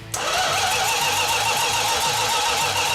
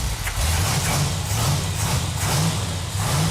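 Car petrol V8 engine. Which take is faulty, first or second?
first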